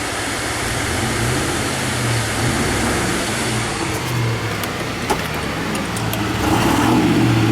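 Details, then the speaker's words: 1990 Range Rover County with the 3.9L V8, warm idle after a drive: a smooth, low, even V8 burble settling down, with no misses, knocks or ticks. The engine runs great. "there we go just was waiting for it to idle down there nice sound runs great right"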